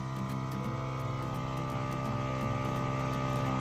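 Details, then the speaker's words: Nissan GQ Patrol with a cheap eBay turbo kit: the new intercooler water pump is priming, returning to the tank, with no leaks found. Steady electric hum with an even flutter and water moving; normal pump running. "Sounds like it's priming up anyway. So we'll go around and check the tank, see if we've got a return yet."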